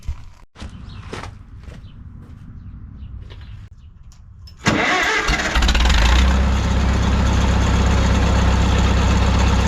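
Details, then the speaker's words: 1951 Farmall M tractor after switching from Champion D21 to Autolite 316 spark plugs, number three plug previously sooty: cranks and idles steadily, a huge improvement, with only an occasional faint pop; minor misfire remains. "we are getting still an occasional just little bit of a a pop here and there but I think I'm getting overly critical now these old tractors you know do that uh a little bit"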